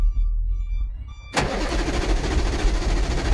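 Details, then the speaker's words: Vehicle intermittently won't start from the key; with wiring bypassed, uneven cranking churns without firing. Electrical checks found nothing; oil level being checked next, since an oil sensor may block starting with no oil. Cause unconfirmed. "Start namin. Ayaw tumuloy. >> Ayaw tumuloy."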